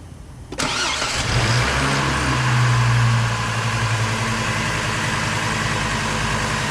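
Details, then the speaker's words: 2005 Chevrolet Colorado 3.5L after replacing the water pump, serpentine belt tensioner and idler pulley: the engine catches quickly and settles into a smooth, steady idle with no chirp, squeal or belt wobble, and belt tension is good. "No more wobble wobble. Tension looks good."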